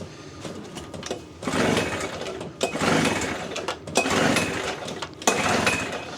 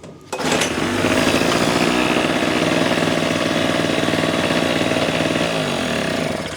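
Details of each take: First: Small generator bought at a yard sale that won't start; key on, switch on, in start mode. Repeated rope pulls, each a rasping whir about a second long, and it never fires. Cranks but will not start; fuel, compression and ignition checks follow. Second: Small two-stroke engine after no-start diagnosis, fuel on, choke on start position, pull-started: catches on first pull and settles into a steady buzzy run of about three firings a second; starts and runs cleanly.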